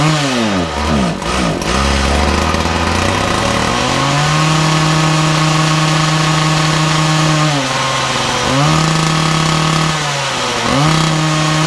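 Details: Makita DPC6430 two-stroke disc cutter, started with decompression and choke after carburetor jets were altered earlier: settles to steady buzz but sags and recovers twice under throttle; carburetor out of tune, needs adjustment.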